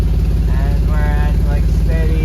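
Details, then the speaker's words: Nissan G35 VQ35DE at operating temperature, in drive: smooth even 650 RPM idle, no knocks, misses or stumbles; right where it should be, though a code persists. "650 idle in drive. That's not bad. That's right where it should be."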